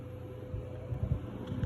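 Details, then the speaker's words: Brother CNC machine retrofitted to Mach3, cabinet cooling fans switched by output 16 with the running LED while a program runs: low, steady fan hum with soft airflow and a faint mid tone; normal cooling fan operation. "my LED is running. You can hear the fans running right now because my LED is flashing."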